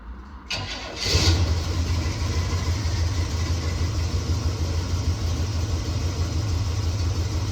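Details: 1969 Chevelle SS big-block V8, sat 37 years, restarted after loose spark plug terminals were tightened: uneven, lumpy idle, better than before but still not running smoothly; owner will check header pipes with a heat gun to confirm all 8 cylinders fire.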